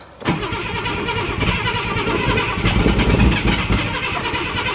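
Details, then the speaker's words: Ford Granada Mk2 2.8 V6 automatic, parked 20+ years: fires on priming fuel poured in, runs rough and lumpy without settling to idle, oil pressure building; starved of fuel, owner thinks it needs more fuel. "oil pressure is building up really nice in here. I think we need more fuel."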